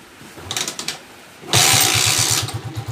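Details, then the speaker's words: Honda TMX155 motorcycle after clutch damper and clutch lining replacement plus a tune-up: the engine catches, then settles into an even, steady beat of about ten pulses a second with no knocks or misses. Normal idle, said smoother than brand new. "Yun o. Napaka-smooth mga kabro. Mas smooth pa sa brand new, sabi ni Brother Lito Velasco."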